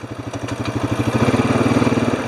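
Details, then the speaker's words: Honda Rancher 420 ATV, started after sitting over a year with old fuel; even, quick firing about fourteen pulses a second, steady and clean, no misses, no smoke, running much better than before. Normal running; throttle response still a little slow, throttle body needs cleaning. "running good no smoke still kind of smells like old fuel they start to run better brakes are working good front and rear it's definitely running pretty good now much better than last time I ran it"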